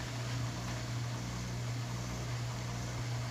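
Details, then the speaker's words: GE apartment-grade dishwasher with drain pump, leaking/overflowing and filling when not in use, pulled out and laid on its back: steady low hum with water rushing, no grinding; drains normally, so pump and drain lines are fine and the fault is the installation. "it's draining normally so we know there's no problem with the pump with the drain lines the problem is with the installation"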